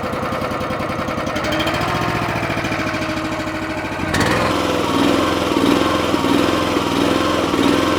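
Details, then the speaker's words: Honda engine on an Eastonmade 9-16 log splitter after idle screw adjustment to fix surging: slow even idle with choke fully off, no hunting; previously needed choke to idle this low. "Wow, that was it exactly. Before I couldn't let it get down even close to this low in the idle, and the choke is all the way off."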